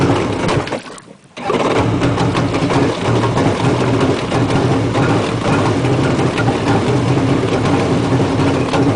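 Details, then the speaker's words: Two-stroke jet ski started in the lift, no throttle: catches after a short gap then a buzzy, slightly wavering run while cold; giving gas before warm-up stalls it; unstable cold-start running. "Now, as soon as you start it up, you still don't want to give it any gas because that is going to stall it. It needs to warm up. It's a two-cycle. If you try and give it any gas, it'll stall."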